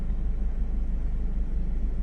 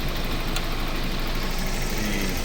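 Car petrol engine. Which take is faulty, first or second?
second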